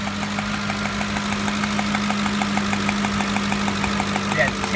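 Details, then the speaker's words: 2007 Ford F-150 5.4L 3-valve Triton at warm idle, heard at the valve cover area: sharp steady ticking like a lash adjuster, with raw fuel smell; fix is new plugs torqued to 25 ft-lbs. "or tapping Metroid's coming from this area coming from the valve cover area here try to compare to the other Bank noise over here there's a definite ticking or tapping noise coming from the mouth of our area"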